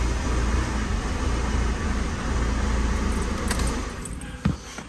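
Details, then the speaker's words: Vauxhall Mokka 1.6 CDTi diesel, start after fuel filter change and bleeding air from the fuel system: smooth even low rumble with no misses or knocks; starts and runs cleanly. "And then after all that, you're ready to start her up. And there you go. She'll start and run."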